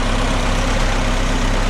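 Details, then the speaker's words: D-17 tractor after its gas tank refit, idling a long while at about 30°F with carburetor and manifold frosting: a steady, even low idle with no misses, knocks or surging and no fuel starvation; running smoothly and healthy. "It's been running quite a while now, and it's not running out of fuel. That's good."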